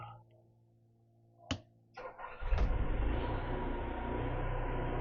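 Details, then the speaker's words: Onan RV generator after new fuel pump, fuel filter and carburetor cleaning: quiet pump clicks while priming 10-20 seconds, short crank, catches and settles to steady even drone, no load; starts and runs fine. "yep fired up now the cleaning starts and they run for about 30 minutes of course the first five minutes with no load"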